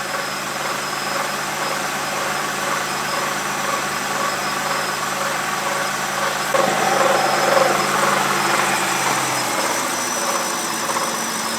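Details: BMW E65/E66 with N62 V8 at steady idle: light chattering rattle about twice per second over the engine hum, quieting as the engine warms; first mistaken for the timing chain rubbing its guides, alternator also suspected; actually a worn water pump bearing.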